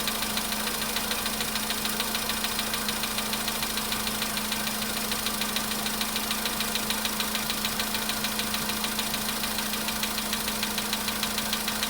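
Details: VW Polo sedan, cold start at idle: a sharp, even ticking knock of about 200 a minute rides over the idle and keeps going. Cause not found.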